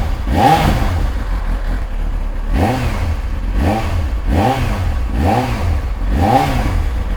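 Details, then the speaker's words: Old Kawasaki ZX-9R, slightly warm with choke off, start after fresh oil and filter change: six quick throttle blips rising and falling cleanly with no knocks or misses, healthy free-revving engine. "oh you sound so good [Music] oh I love I love the sound of this bike"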